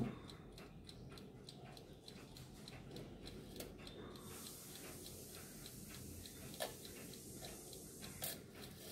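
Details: Wehrle 3-in-1 alarm clock after service and reassembly: steady even ticking with a faint bell-like ring in the background; movement running normally while the 6:30 and 7 o'clock strikes are checked.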